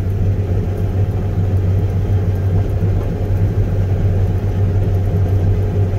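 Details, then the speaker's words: Combine header engaged straight-cutting tough, damp canola gives a deep, steady rumble with no sharp knocks; heavy crop load, rough but not violent. "he sure is rumbling this it's not a violent Rumble but you can definitely hear there's a lot of stuff going on down there"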